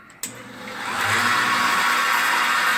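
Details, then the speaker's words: Home-built KMG 2x72 belt grinder clone, belt moved to big pulley for high speed, checked for rattle or vibration; motor spins up in about a second to loud steady hissing whir, no rattle or knock; normal top-speed running. "That's whipping. I don't hardly ever run it. Turn that noisy bastard off. I never run it at that high speed."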